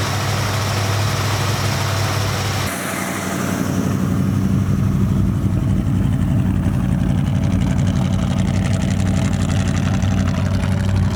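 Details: 1972 Dodge D100 with 318 V8, sitting 13 years in a junkyard, first run on starting fluid then fuel from a jug: low V8 rumble dips briefly then settles into a steady, fairly even idle; engine sounds good, normal idle.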